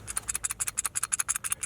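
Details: 2000 Ford Mustang V6 front wheel hub assembly removed for replacement, spun by hand: rapid dry gritty ratcheting about ten bursts a second; hub bearing worn out.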